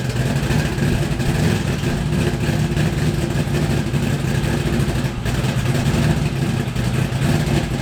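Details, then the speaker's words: LS V8-swapped Miata, first start in 7 months after Mishimoto radiator install, cold; deep choppy loping idle steady around 1000 rpm (set 850) with big cam, good oil pressure, healthy. "the idle for this car set at 850 and that was with the previous cam for that choppy idol um so a thousand is actually pretty good for a cold start they have great oil pressure"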